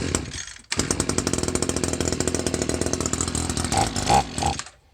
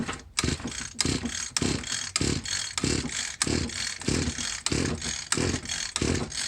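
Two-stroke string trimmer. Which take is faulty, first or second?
second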